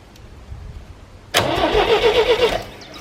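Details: 1973 GMC 432 cubic inch V6, out of a truck, sitting unstarted almost 5 years, having trouble pulling fuel, fed from a can: cranking catches abruptly into rough uneven run for about a second; later runs without smoking.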